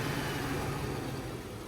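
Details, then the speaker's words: LS-swapped truck settling back to idle after a rev to about 1500 rpm; slightly uneven, stumbling beat as cylinder six starts misfiring again at idle and cylinder four keeps misfiring. "It goes back down to idle. Number six starting to come back. Starting to have a few misfires in there."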